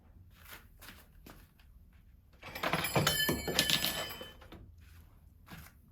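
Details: Bicycle front rim brake applied, periodic on downhill: sharp clicks with brief metallic ring; suspected brake pad problem.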